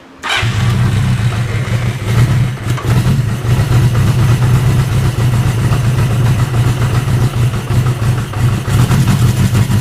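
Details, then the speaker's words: Honda CB550 four-cylinder motorcycle, freshly built, first start on choke without starter fluid: fires instantly, settles into an even, deep burble, rising smoothly on small throttle blips; healthy idle with light throttle. "that's pretty awesome that uh that fired up pretty darn easily I'm actually really surprised that it even fired up that nice"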